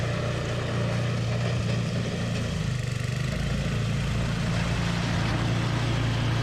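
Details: Toro 521 snowblower started after replacing a blown drive belt; new belt nice and tight. Small single-cylinder engine holds a steady, even, fast beat with no squeal or slapping; runs smooth and healthy.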